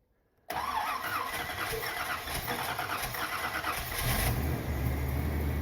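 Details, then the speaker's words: 1979 Corvette after fitting glasspack mufflers, not started for a few days, choke not connected: cranks briefly and catches at once, settling into a steady low rumble at idle with no lifter noise or misses; exhaust leak on one side. "Okay. Sounds better than before. Not very loud, but it's got a little rumble to it."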